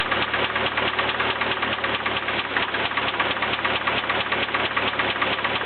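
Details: Nissan KA24DE engine running with steady hollow knock a couple of times per second: rod knock, which had been getting louder and faster.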